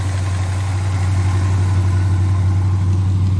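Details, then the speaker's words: 1978 Chevrolet Scottsdale, one owner, 44,000 miles, parked since 1996, cherry bomb glasspack exhaust, some smoke: deep, steady burbling idle about three pulses a second, even with no knocks or misses; normal idle. "It's got the old cherry bombs exhaust on it. All the way out."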